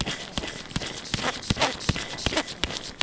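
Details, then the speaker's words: Auxiliary belt pulley from a 16v project car, about 500 miles old but sat damp off the road, turned by hand near the microphone: gritty rasp with a repeating click about once a second; rough bearing, grease washed out. "it was making horrific noises as you can see it's not really very old but obviously all the grease has come out washed out or something"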